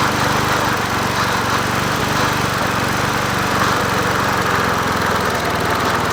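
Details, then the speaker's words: Old free Murray 20" push mower #20201D, missing gas tank, carburetor just coaxed into running, no air filter fitted; single-cylinder buzzes steadily at a fast, slightly uneven beat with no misses — rough running. "it's running but we're killing the mosquito better it runs yeah it runs yeah it runs"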